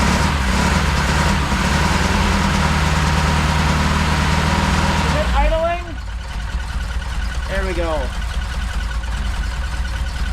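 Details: Saab Sonett III on its first run after engine reinstallation, distributor just reset 180°: uneven, lumpy idle for a few seconds, then it shuts off; it misfires because one spark plug lead was left unplugged.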